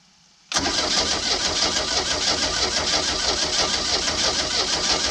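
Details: Old boat with sterndrive, unknown condition after sitting, little fuel added: steady, labored cranking about three turns a second, never catches; crank no start, owner suspects rusted cap, rotor, points and condenser.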